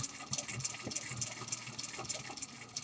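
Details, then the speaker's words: Antique Stromberg-Carlson five-bar horseshoe-magnet telephone magneto, oiled with WD-40, hand-cranked with output lighting a bulb: light, fast whirring with gear chatter rising and falling with each turn; easy to crank, runs free, healthy. "we're gonna watch that light and and it's really easy to crank and as you can see it's lighting it up"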